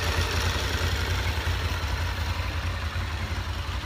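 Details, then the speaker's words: Honda VFR 750 at warm idle after clutch basket repair, with the clutch pulled in and released: even idle with light camshaft chatter only, the earlier knock from the basket is gone; normal idle. "tam ledwo coś jest, zrobiło się znacznie lepiej, no cóż, w zasadzie pukanie ustąpiło i nie stuka wcale"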